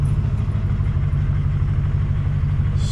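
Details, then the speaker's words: Ford F-450, the owner's daily driver, idling after the belt was removed to check for internal noise; the owner suspected the pulleys and the tensioner wobbles. Deep, steady rumble with no squeal, chirp or grinding, and the earlier noise is gone, so it sounds much better. "far so good it doesn't sound terrible jump out here see if it's still making the noise oh it sounds so much better oh yes back up and running now"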